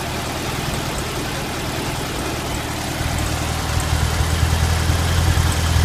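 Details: Stock 1971 VW Super Beetle, single-port 1600, idling: low, slightly uneven chug, a mild misfire after the distributor condenser came loose. Compression 100 psi all cylinders, new plugs fitted; owner suspects spark, cause unconfirmed.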